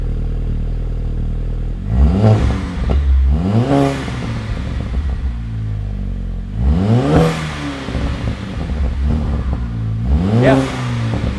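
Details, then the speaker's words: VW MK5 GTI just after new Milltek exhaust installed: three crisp rev blips over a steady idle, deep even exhaust with no rattles or leaks; exhaust sounds healthy. "they sound pretty good."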